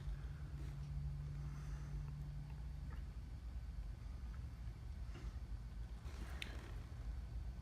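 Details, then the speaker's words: Overhead Door Model 556 garage door opener, nonfunctional: low steady hum with the motor idle, first taken for the motor or LED light, actually the light relay held on; bad circuit board component suspected. "hear the motor humming I thought it was the light at first cuz it's an LED light and they like to hum I distinctly think that's the motor humming"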